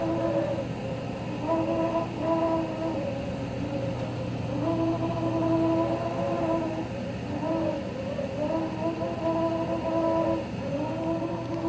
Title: RayPack 106A Spa Heater whining noise